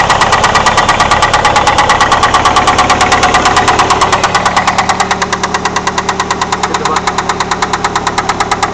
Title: bad noise could it be a rod bearing?